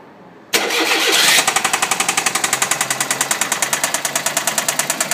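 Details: Engine run about 16,000 km without an oil change; once it catches, a loud metallic clatter taps about four times a second over the idle, a worn, oil-starved bottom end knocking.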